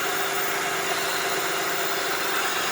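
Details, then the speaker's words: 2004 Honda Odyssey EX at idle after replacing the O-ring on the power steering pump inlet port to cure a loud pump noise: an even, steady hiss and whir with no whine or groan. The pump now sounds normal. "let me see oh i don't hear a noise hey looks like they'll solve the noise problems eventually"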